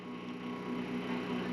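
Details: Off-grid inverter/charger fed by a generator plus solar, charging raised from 750 W to about 1.2 kW: steady mains-pitch hum with a buzzy overtone, no rising or crackling; normal transformer hum under load.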